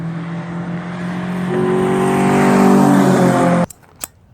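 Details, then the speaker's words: Nissan with CVTC, intake manifold flaps opening at a certain rpm: revs climb smoothly, then the tone shifts and hardens partway up as the flaps engage, then drops off; normal behaviour. "Yep, this is the intake manifold, and there's another set of little flaps that open up at a certain RPM. And if you actually listen closely to my outro audio, you can hear it engage."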